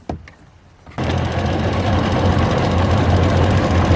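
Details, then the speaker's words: Tohatsu two-stroke outboard after cleaning the dirty primary fuel filter and draining the carburetor float bowls: start-up burst then steady even idle, all cylinders firing with no misses; later reached 29 mph. "all right I think we're I think we're working seems to be running great now on all cylinders it's idling"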